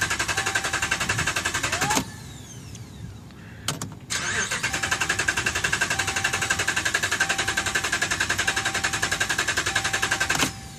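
Starter cranks briskly at about four pulses a second, repeated tries with no catch or firing; a crank-no-start caused by a failed TIPM.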